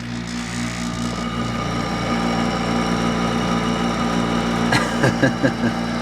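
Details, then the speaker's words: Hampton Bay by LG 8,000 BTU window air conditioner, only a few years old: steady droning hum with a rough, uneven undertone and a few clunks near the end; the motor sounds worn, possibly its bearings. "the damn motor sounds worse this one these hair conditions are only a few years old and these Hampton Bay air conditioners are shot"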